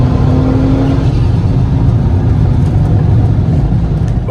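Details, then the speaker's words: MK5 Golf R32 Turbo (VR6), just over a quarter tank, after new fuel pump fitted in second-hand sender: strong, even pull as revs climb under boost, no stumble, cut-out or pop; previous fuel-starvation engine cut fixed. "let's give it a quick go and see what it does ready yeah definitely no issues there so I would say there 100% solved my fuel start basing issue I'm happy with that"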